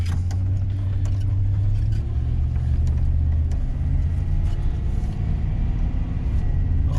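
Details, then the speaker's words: GM LS V8 truck idling after exhaust manifold leak brackets were fitted and the forgotten number 7 plug wire was reconnected to cure a slight miss: deep even rumble, no tick or stumble. "it sounds so good well I'll tell you what guys that is a cheap easy fix"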